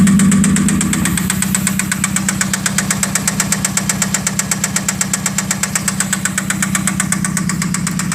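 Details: 1991 spec Mazda Miata: steady knock about four times a second over the idle hum, tied to engine speed; oil pressure still good, source not yet identified.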